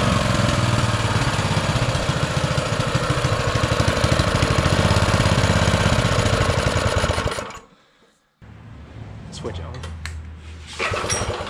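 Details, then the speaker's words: Baja Motorsports Baja Warrior mini bike, single-cylinder with small carburetor: a quick, slightly uneven popping that falls away and dies; even after off-camera adjustment it won't idle off choke, so the carburetor was then replaced. "I mess with this a few times off camera trying to get it to idle better uh and I just can't get it to idle off of Choke so that tells me that uh I need to dig into this again"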